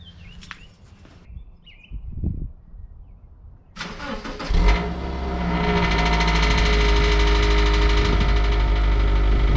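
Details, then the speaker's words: 2009 Subaru Outback after installing stainless steel cat-back exhaust, third cold start after ECM reset by disconnecting battery: catches after a few seconds, settles into steady even low idle with deep exhaust note, quieting faster. "so it made only a small difference the engine settles down faster and gets quieter faster i'm satisfied with this"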